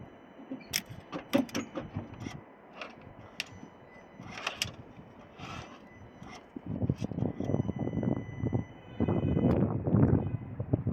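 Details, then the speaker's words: 2011 Dacia Sandero Stepway 1.5 dCi diesel cranks in repeated bursts, about two to three turns a second, without firing; rail pressure sensor fault code, no electrical power reaching injectors or sensors, crank sensor to be checked. "Eee, enjektörlere elektrik gelmiyor. Onu çözmeye çalışıyoruz."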